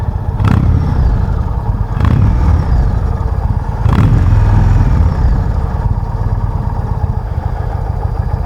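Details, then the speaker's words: 2019 Indian Chieftain Limited V-twin, stock exhaust, quiet at idle, rear cylinder deactivation on, exhaust-mounted mic: low, lumpy but even idle with a few handling thumps, no perceptible difference; normal idle. "now this is the stock exhaust so maybe because it's kind of quiet at idle I'm not noticing it"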